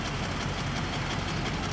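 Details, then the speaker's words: 1995 Cadillac Fleetwood at idle after its misfire was solved: coarse, rattly, loud roar from a tired exhaust. Owner is considering a new or used exhaust system. Cause suspected, not confirmed. "and noisy but yeah I think I might put a new exhaust system on it"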